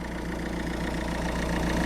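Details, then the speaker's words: Citroën C4 diesel idling with even, steady clatter and no misses or surges after the fuel filter, cabin and other filters and aged, cracking hoses were replaced. Normal diesel idle. "Comme on entend, il tourne bien."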